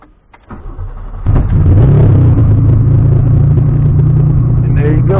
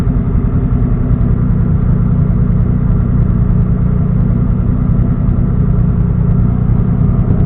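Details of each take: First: After taking a lot of fuel out and lowering the cranking setting to 12 in TunerStudio, quiet cranking, then the engine fires about a second in and settles into a steady running rumble; it starts. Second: Engine on a standalone ECU being tuned in TunerStudio, idling while warming toward operating temperature: steady rough-edged idle with one sharp pop about eight seconds in; lean idle backfire, needs slightly more fuel.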